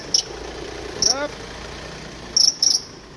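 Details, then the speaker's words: Car engine running with the steering held at full left lock: sharp high chirps in short bursts. The aged, hardening charging/accessory belt is slipping, and the alternator bearing pulley and automatic tensioner are also worn. "direksiyonu tam tam sol dayadığın bu ses gelir ve aracın sahibini rahatsız eder"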